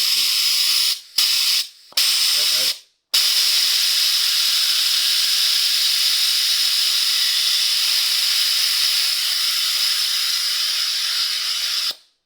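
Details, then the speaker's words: 2012 BMW K1300R at 69,000 km, refilling coolant during a valve clearance service with the hose clamped: a vacuum filler gives a loud, steady, high airy hiss for about nine seconds, holding a very good vacuum, normal operation. "that's about as good as a vacuum as you'll ever get"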